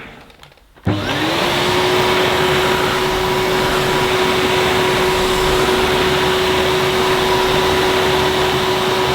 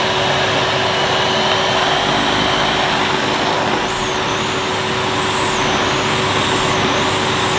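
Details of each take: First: 2005 Numatic Edward Turbo vacuum with turbo electric head, pushed on carpet with the vent closed: spins up to a steady, very quiet whine with smooth airflow hiss and no rattles; normal running. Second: 2005 Numatic Edward Turbo vacuum with turbo electric head, hose connected directly to nozzle: steady roar with wavering whine from the brush head dipping and returning as the head cuts out intermittently; owner suspects a loose connection in the head or the switch.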